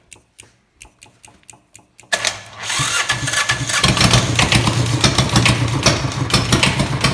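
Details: Homemade diesel bike engine with glow plugs, cranked a while, idle screw turned up after first try: a few light clicks, then it catches and settles into a busy, fairly even chug; runs properly after the idle adjustment.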